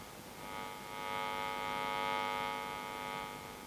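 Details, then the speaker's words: Output transformer secondary wired to guitar plug into a Champ Micro amp and speaker cabinet, moved around a toroidal power transformer to find hum positions for a Bassman Micro build; buzzy stacked-tone hum swells and fades with position; mains hum induced in output transformer. "so now i'm going to test the positions of the most and least hum so i know where to position my output transformer"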